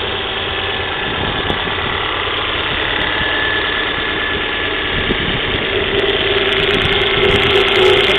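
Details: Volvo V40 1.6 shortly after cold start: loud idle with fast, fairly regular clatter about three per second; recently replaced timing belt suspected but judged fitted correctly, noise seemingly mid-engine, source not pinned down; cold-start engine noise.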